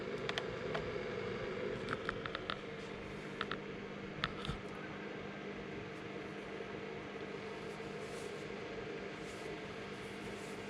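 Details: Keurig K-Café, already heated up, brewing a K-cup on the latte setting: soft steady pump-and-fan hum with a few light clicks early on, no rattles or strain; brewer working normally.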